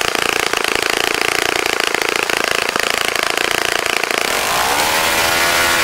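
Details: Saito FA-65 model engine, first run after rebuild, APC 12x6 prop, Morgan's Omega 10% fuel, Fox Miracle plug: crisp even high-pitched buzz, then clean rise in pitch revving up; runs nicely.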